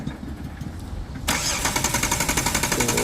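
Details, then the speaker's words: Jeep Wrangler Sport that suddenly died while driving, check engine light on: starter cranks steadily at about four beats a second but never fires; no spark seen on the test plug, crank no-start. "प्रं करने के time कोई spark नहीं आ रहा जैसा कि आप देख सकते हैं कोई स्पार्क नहीं आ रहा"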